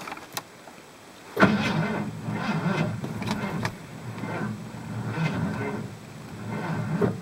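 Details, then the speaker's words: 1985 Ford plow truck cold start attempt at -5 below. Sluggish, labored cranking in uneven surges, turning slowly and never catching. Owner suspects the worn-out battery is the cause and says it needs replacing. "this sounds promising okay batteries junk I guess four years of shuffling it between five trucks and leaving it out in the cold and plowing all day long with this saying doesn't seem to help it much so this thing definitely needs a new battery"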